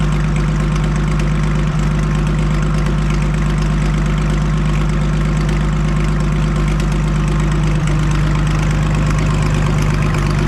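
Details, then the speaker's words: Farmall 560 just after carburetor reinstalled, first start to set the idle: steady, even low rumble with no knocks or misses, firing cleanly into a healthy idle. "once my brother gets here, we'll fire it up and set the idle and see how she runs."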